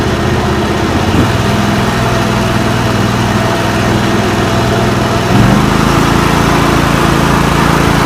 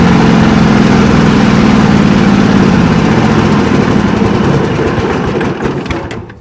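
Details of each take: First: John Deere lawn tractor with a Kawasaki V-twin restarted after new ignition coils, plug caps and NGK BMR6A plugs, which cured weak spark on one side; it catches almost instantly, holds a steady, even idle with no misfires, then winds down cleanly. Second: 1989 John Deere 285 mower with a Kawasaki FD590V V-twin, under mowing load with the PTO engaged in thick grass. It runs loud and uneven, then loses pace and bogs. The owner suspects the ignition coils are giving weak spark.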